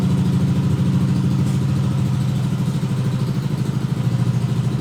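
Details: Yamaha Aerox 155 Connected with a Proliner Neo SR Silent aftermarket exhaust after about four months of use, at idle: steady, deep, round bass burble, even firing about three beats a second, clearly unlike a stock exhaust.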